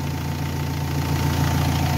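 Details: Renault Espace 3 2.2L keeps idling smooth and steady with no stumble after a battery terminal is removed (about 14 V measured), so the alternator is charging properly; a tired alternator would let the engine cut out.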